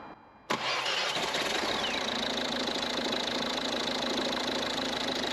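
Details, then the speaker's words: Ford Mondeo diesel idling steadily and evenly with no knocks; it had been ticking over fast and sounding like no compression before, and now sounds much better: normal idle. "Yeah. Maybe just switch there for diesel then. She sounds better now. It sounds a lot better than"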